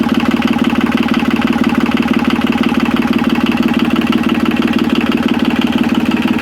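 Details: Yanmar 3QM30 three-cylinder marine diesel, jump-started with a second set of cables and the decompression lever in run, idles with a steady even clatter of about three beats a second and no misses or knocks. Oil pressure reached 75–80 psi, with no cooling water hooked up yet. Normal idle.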